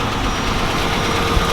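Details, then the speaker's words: Buick Roadmaster wagon after new fuel filter and fresh gas: runs better but low, uneven, lumpy idle; still very hard to start with bad hesitation. "But here it is running. It does run a lot better. However, it's very difficult to start, and it has a very bad hesitation as well still."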